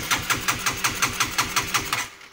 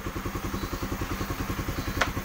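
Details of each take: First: Honda CB150R motorcycle that won't start, MIL blinking 12 times; starter cranks steadily and never catches because the clogged injector isn't spraying fuel; crank no start from clogged injector, to be cleaned manually. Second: Honda CB150R after manually cleaning the clogged injector that caused no-start and 12-blink MIL; steady, even single-cylinder putter about eight beats a second, no misses or stumbles; normal idle, fuel delivery restored.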